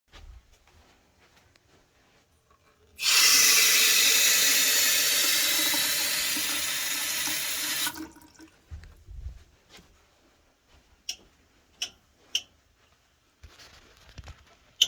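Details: Copper water pipes after a tap runs briefly and shuts off: sharp irregular ticks and knocks from the pipework; owner unsure whether it is copper pipe expansion or water hammer.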